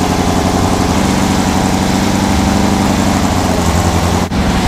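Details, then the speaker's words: 1970 Trophy Car dune buggy, new 1776cc VW flat-four during a roughly 30-minute break-in, running hot, about 130°F at the case: steady, even, lumpy, throaty idle, Harley-like, with no knocks or misses; normal. "as you can see, it's going well on the break-in. It's going to be about 30 minutes, Sounds badass. Sounds like a Harley."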